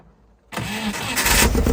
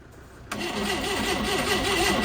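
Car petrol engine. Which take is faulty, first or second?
second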